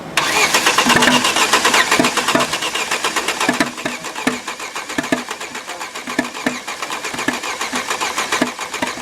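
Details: Front-damaged Opel Astra H 1.6 petrol with a mismatched engine built from Z16XER and A16XER parts, started after a jump: runs roughly with loud, uneven knocks under throttle. No diagnostic codes; owners decided to replace the engine entirely.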